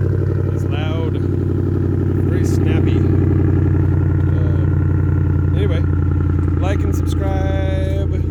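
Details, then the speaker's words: 2007 Ford F150 V8 after replacing failed passenger catalytic converter (blamed on failing coil causing unburned fuel) with Magnaflow high-flow cat: cold start, deep steady rumble with no ticks, misses or rattles; clean healthy idle. "shoutout to Magnaflow because it sounds great so we're going to go ahead and do a cold start of that and you guys can hear how it sounds"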